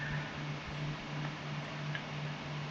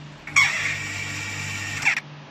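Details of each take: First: Household water pump after repair: motor hums steadily and quietly, earlier loud noise gone; the noise had been caused by a gecko damaging the cooling fan, which was replaced and locked to the shaft. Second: Household water pump starting: harsh high-pitched scraping squeal; with the fan cover removed, the motor cooling fan was found loose and broken.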